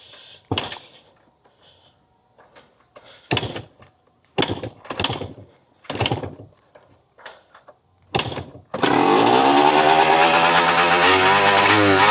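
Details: Barn-find Yamaha IT 250 two-stroke dirt bike during restoration, carb and gas tank still need work; a few thumps then catches and revs crisply with smooth crackly buzz, healthy sounding; normal running.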